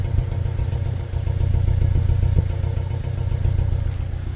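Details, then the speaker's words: Toyota Fortuner, petrol engine believed to be a 2TR, running on petrol: revving and releasing gives a stumbling idle with popping exhaust pulses from a misfire; it also stumbles on LPG, and the title blames wiring chewed by rats. "ลองเร่งดูปล่อยรูปเครื่องไม่โชว์ด้วยแตะสะดุดเลยครับสะดุดจัดเลยอันนี้น้ำมันนะฟังเสียงท่อกันป๊อกๆๆเลยอ่ะ"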